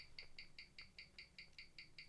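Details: James Bond 007 Gruen Precision 510 17J starburst watch on a Weishi 1000 timegrapher with a 60-second reading. It shares its movement with the Masonic-dial Gruen and reads +32 s/day with 0.0 ms beat error; crisp, evenly spaced ticks with no limp or doubling.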